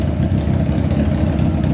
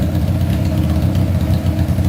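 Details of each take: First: Honda CBR600-engined go-kart, carburetors, all cylinders running: smooth steady four-cylinder idle sitting noticeably fast, never settling; idle adjustment suspected set too high, not confirmed. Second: Honda CBR600 four-cylinder engine swapped into a go-kart, fuel pump not working; idle set rather high, strong even burbling idle with steady low pulses, no misses or knocks, sounds healthy and ready to rev: normal idle.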